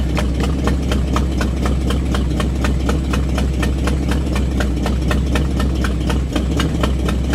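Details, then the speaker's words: Buick with ongoing misfire after new cap, rotor, wires and ignition coil, idle previously turned down, in drive on brake: low lumpy idle around four beats per second with dips; rough idle, owner suspects idle set too low, points, condenser or fuel possible. "it is running a bit slow I will say but see what happens here drive step on the brake it's like barely chugging over what it's running I mean I prefer to the low lumpy Idol myself"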